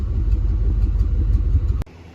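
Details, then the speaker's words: 1994 Chevy K1500 that cranked but wouldn't start despite compression, fuel and spark; judged overfueling, engine coolant temperature sensor replaced, timing not yet set. Now runs with a deep, fairly even rumble, no misses or knocks, and stays running. "And after replacing that, now it's not running amazing. We haven't timed it, but after that, I mean, she's she she's running and she's staying on."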